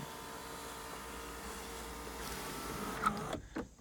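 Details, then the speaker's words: 2003 Hyundai Sonata 2.7 V6, 187,952 miles, engine not running due to broken timing belt: sunroof motor gives a smooth, even whir for about three seconds then stops cleanly; sunroof works normally. "to test out the sunroof for you real quick and then we'll call it a day so open it lose it"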